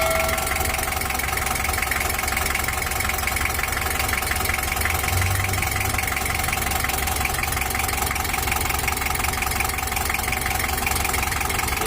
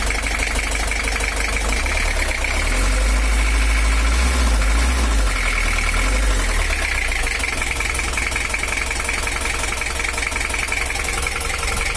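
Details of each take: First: 1982 Toyota Hiace LH11 diesel, treated for overheating and rough running, after injection pump service and setting plus a larger L300 fan: steady, even idle clatter with no misses or surges. It runs smooth and healthy. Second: 1982 Toyota Hiace LH11 diesel, overheating and non-original exhaust: harsh, uneven idle with hard knocking clatter about 220 a minute; rough idle from incorrect injection pump timing, to be re-set.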